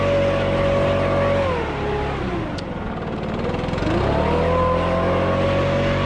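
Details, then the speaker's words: Nearly new 2021 Stihl BR600 65cc 4-MIX backpack blower: smooth, steady note at full throttle, dips as the throttle eases, then climbs back evenly; very quiet, normal running. "sounds great as i know it's very quiet much quieter than my web mats the weight is not bad at all"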